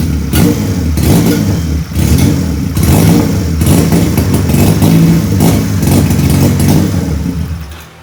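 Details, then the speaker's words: Benelli PE 250 FI single-cylinder on its original MAP sensor: runs rough and uneven, irregular pulsing and stumbling instead of a steady beat; original MAP sensor confirmed faulty/error, replaced with a Suzuki Futura MAP sensor. "Jadi bisa dipastikan ya sekali lagi bahwa sensor mapnya punya Benelli ini sudah tidak dapat digunakan ya, atau error ya. Makanya kita akalin punya Suzuki Futura."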